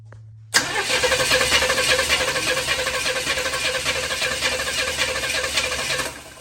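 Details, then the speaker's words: Used Chevy 350 bought for a 1972 Chevy 4x4 truck, intake manifold fitted, vacuum leaks being fixed: starter spins steadily about three pulses a second for six seconds but never fires; suspected lack of fuel, not confirmed. "don't hear any gas in there. I'm like not getting any fuel."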